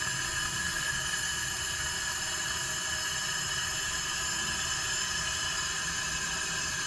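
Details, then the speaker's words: Datsun 720 King Cab pickup, sat about 20 years, compressed-air leak-down test with engine off: steady high hiss of air escaping through the intake into cylinders 2, 3 and 4; suspected intake valve on cylinder 1 not closing. "Coming out of number 2 and number 3 and number 4. How is that possible? Unless the intake's not closed."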